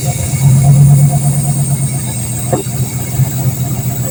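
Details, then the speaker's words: Junked Dodge Dakota parts truck, long-sitting, fuel pump just restored pressure, coolant system empty: idle hunts and stumbles with uneven, lumpy beat and no steady rhythm; runs erratically. "She runs kind of erratic, but she runs."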